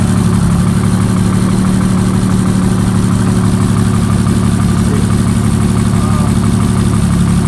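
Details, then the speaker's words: Abandoned rare Jaguar XJRS V12 start on an external fuel supply with spare battery, return line still connected; deep, steady low hum with an even beat, no misses or knocks, settled at a smooth idle. "But let's fire it up and see what happens. We have fuel flowing, so let us see. Running."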